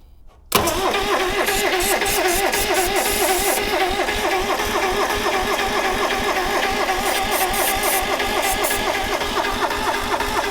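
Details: Subaru Sambar kei van engine after sitting 25+ years, brake cleaner sprayed in: steady starter cranking about four turns a second for ten seconds, never firing; cranks but won't start.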